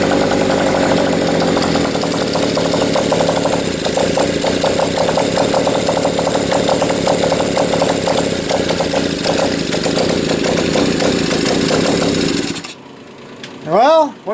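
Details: Bike single-cylinder engine, rough uneven beat with stumbles and dropped firings before cutting out; owner sees sporadic, inconsistent spark, suspects a valve not seating fully and may need to readjust the points; intermittent misfire, cause unconfirmed.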